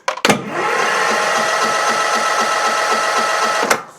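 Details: Cub Cadet CC30 H riding mower, MTD Power More engine, turns over but won't start, carburetor solenoid unpowered during spark test: starter whirs at steady pitch, even beat about four per second, never catches; no spark from failed ignition coil.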